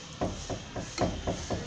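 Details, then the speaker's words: Hyundai Santa Fe front suspension noise: six sharp, hollow knocks as the upper transmission mount, the engine's only hydraulic mount, is levered with a bar. Noise persisted after the links and tie-rod ends were replaced. "ele que dá esse barulho aí então é isso se tiver uma santa fé que você já trocou tudo bieleta terminal direção trocou porque tava ruim aqui tava ruim mesmo Olha elas e o barulho continua você não sabe onde que é é do coxim do câmbio"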